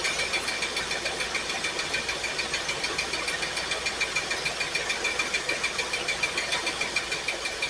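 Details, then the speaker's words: Pontiac Firebird V8 at idle while plug wires are grounded one at a time with a test light. Idle is uneven with a sharp tick about three times a second: cylinders are missing and number 8 is dead. Owner suspects a valve or plug. "That one's contributing a little bit. It's not great, but that one's firing. This one's dead. This number 8 is bad."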